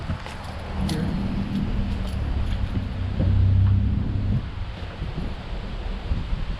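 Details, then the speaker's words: 2015+ Subaru WRX after spark plug replacement at 50,000 miles, plugs gapped to 0.032 and torqued to spec: engine starts and settles into a fairly even idle with a brief blip, no misfire. "now the only thing i got to do is start the car make sure that it sounds good idle's a little better"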